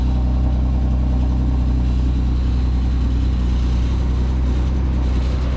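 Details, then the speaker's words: Nissan 370Z Nismo at a dealer auction: right after start the engine settles into a heavy, uneven low drone with a rough undertone; abnormal start-up noise, cause not found. "Oh, I don't like that. That sounds crappy."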